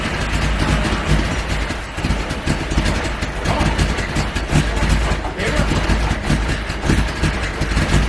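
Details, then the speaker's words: Nissan 280ZX after fitting a new $20 part: low, lumpy idle that wavers and shakes unevenly. Owner thinks it sounds short of fuel, cause uncertain; the cold start valve is still plugged in. "but it it started um still sounded like there was a lack of fuel for some reason"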